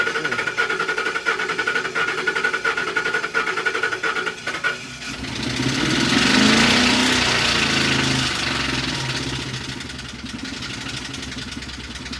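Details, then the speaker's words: 2012 Ford Expedition, running after cranking, extremely noisy. Sharp even ticking about four times a second over a rough-running engine, then a swelling rush; a couple of cylinders unhappy, loud knock, cause not yet pinned down. "Definitely a couple unhappy cylinders"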